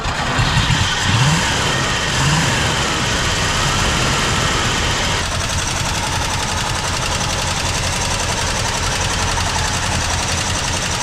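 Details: 1970s Chevrolet C-10 Custom, revived after about 30 years sitting, idle screw turned up, no radiator fitted: after a brief rough start it settles into a steady, even fast idle with no misses or knocks; it runs.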